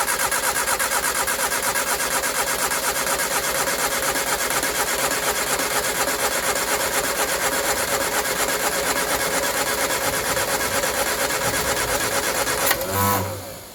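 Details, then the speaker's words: 1967 Triumph Spitfire MK3 abandoned project, first start-up after sitting unfinished: busy, slightly uneven fast idle with a lumpy edge that smooths a bit as revs rise; rough running, needs a tune-up, carbs to be stripped and cleaned. "It was a little bit lumpy there, especially on idle. Um, when I picked the revs up, it seemed to be a little bit better, but it still definitely needs a bit of a tuneup."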